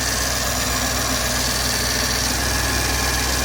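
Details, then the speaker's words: 2004 Land Rover Discovery 2 after belt drive system replacement, which had a horrible flapping before; smooth constant idle with no flapping, squeal or chirp from belts, no vibrations, normal. "Oh, that sounds loads. curing like a kitten."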